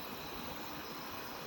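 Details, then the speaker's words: Steady, even hiss of LPG escaping from a worn or damaged gas cylinder regulator whose ball valve no longer closes the outlet, so gas leaks continuously with a distinctive smell. "kalau ketika normal go tre ataupun peluru itu regulator ini tidak akan mengeluarkan bau ataupun e bunyi desisan yang menandakan bahwa gas ini keluar"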